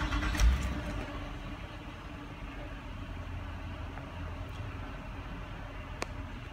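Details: Nissan Murano after throttle body cleaning and P0507 high-idle code, right after idle air volume relearn: low, steady, even idle hum with no hunting or surging; idle settled normally.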